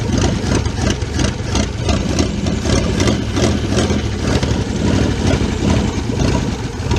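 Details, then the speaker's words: 1977 Chevrolet K20 4x4, last driven 2001, cold idle with oil pressure 58-59 psi: loud, lumpy idle skipping every few firings, missing on one bank; spark plugs first suspected, traced to clogged carburetor jets. "we've got this engine missing a skipping Rob about and I thought at first you know spark bugs but uh doing a little bit of testing here we figured out what it is"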